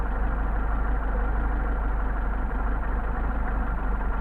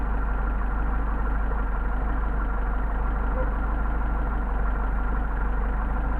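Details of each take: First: Mercedes 190SL Solex carburetors on a test stand, idle near 600 rpm: the mixture screw is turned too far and the low idle becomes uneven and loping at three to four pulses a second. Rough idle from an over-adjusted mixture screw. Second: Mercedes 190SL with rebuilt Solex carburetors on test, idle mixture screws adjusted, about 600 rpm: smooth even low idle with no misses or hunting; mixture sounds set right and engine runs steadily.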